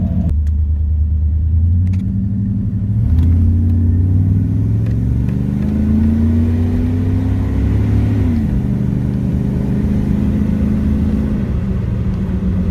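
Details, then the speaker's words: 1997 Chevy 3500 4x4 with 454 big-block V8, up to temperature after a cold start: settles into an even, deep idle, then revs climb smoothly and drop back cleanly; normal warm idle and revving. "we'll crank it back up and uh give you a couple revs on the way out uh now that it's up to temperature"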